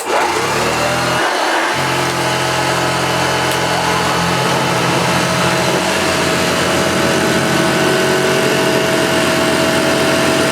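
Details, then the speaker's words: Restored Hoover Junior Dirtsearcher 1354A upright vacuum after a stretched belt driving the agitator was replaced: steady, even motor hum with a constant high tone and smooth brush spin, no slipping or flapping; runs healthy. "so yeah both works really really well"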